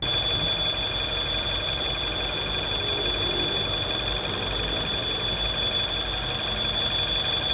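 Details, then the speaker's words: Mini R60 N18 engine at idle: shrill, steady high whistle over a smooth idle, like air rushing through a small gap; belt and metal rubbing ruled out, intake or vacuum leak considered, and a fellow mechanic suspects a failed PCV valve. "后来注意听，好像是空气摩擦的声音，就是有一个小缝，空气从那边快速流过，摩擦，有点像吹口哨的那种声音。"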